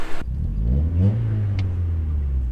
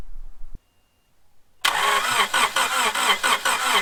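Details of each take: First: Honda Prelude running after cylinder head reinstallation, during heat cycles before its first test drive: smooth, steady low drone with a brief rev rise and no knocks or ticks. Engine quiet and healthy. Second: Honda Prelude after head reinstall, fresh oil, first start attempt: starter turns engine over in even, rather slow pulses for several seconds without catching; cranking no-start, suspected dead battery, later started with jump pack.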